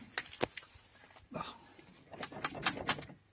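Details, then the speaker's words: Maruti Suzuki Alto door, heard clearly while driving: irregular plasticky tapping and rattles. The cause was loose door pad clips, found after removing the door pad. "ഈ sound വണ്ടി റണ്ണിങ്ങിൽ ഈ sound നല്ലോണം നമുക്ക് കേൾക്കാൻ പറ്റും. അപ്പോൾ അത് നമുക്ക് ഡോർ അയച്ചിട്ട് ഇത് ക്ലിയർ ചെയ്യാം. ഡോർ പാഡ് അയച്ചിട്ട് ആ സൗണ്ട് ക്ലിയർ ചെയ്യാൻ നോക്കുകയാണ്."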